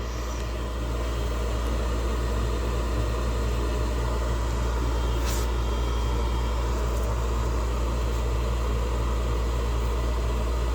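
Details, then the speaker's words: York gas furnace: loud steady rumbling roar with rough churning edge when the blower motor starts; blower wheel found broken with play, OEM motor. "you guys see this here see that see that play this whe is definitely broke"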